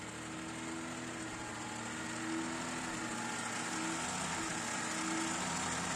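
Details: Lada 1500 engine running: constant mid-pitched whine riding over steady engine sound that never changes; bad alternator.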